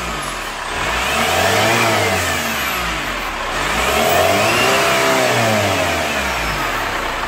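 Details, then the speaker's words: 2015 Chevrolet Captiva Diesel FL2 after turbo O-ring and gasket repair, turbo hose work and cleaning of injectors 1–3 (one nozzle replaced): diesel revs up and settles smoothly with no knock or stumble; normal free rev. "Kita biarkan dulu mesinnya nyala 5 menit. Nanti semakin lama mesinnya akan terdengar, semakin rata dan semakin halus."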